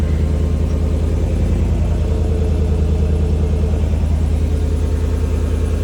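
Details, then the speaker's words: Chevrolet Silverado Trail Boss Z71 at idle just after a no-weld bolt-on Flowmaster Super 44 muffler install, U-clamps not yet fitted: deep, even exhaust rumble, steady low pulse, no rattles or leaks, subtle. "Sounds good. Sounds real good. Pretty subtle."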